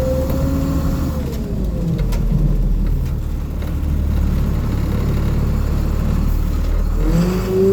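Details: Bus with a diesel engine on a cold day, on high idle: under a low diesel drone, a thin whine rises and falls during a turn. A power steering problem is suspected, not confirmed.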